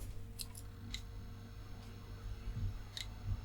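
Sharp, irregular clicks, about six in under four seconds, as a desktop PC tries and fails to start.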